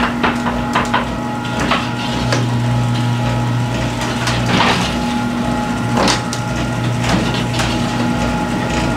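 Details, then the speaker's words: Garage door rattle while the opener runs, before installing the green hinge system, on a 20°F freezing day: steady opener hum with loose, irregular wooden knocks and clatters as the panels travel; cause suspected, not confirmed. "I want you to listen to How the garage is listen for rattles the sound and I'm going to do a comparison later on"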